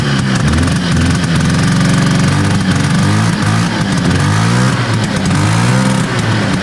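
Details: 1970 Herter's Husky snowmobile, 440 Sachs twin two-stroke, after plugs cleaned: revs and sags unevenly with ragged, lumpy beat, one cylinder dropping out; misfire, weak intermittent spark on one side suspected, points, condenser or coil.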